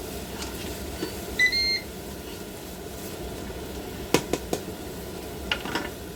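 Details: Ninja 15-in-1 pressure cooker, sautéing vegetables with the heat turned down: a single short beep on the button press, then light clacks from handling. This is just the panel confirming a setting change, nothing wrong.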